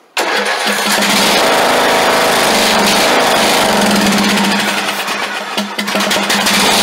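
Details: Craftsman LT2000 lawn tractor, unstarted for years, running after its frozen throttle plate and governor were freed. It catches straight away and settles into a steady, even buzzing run with no knock or smoke: a healthy engine.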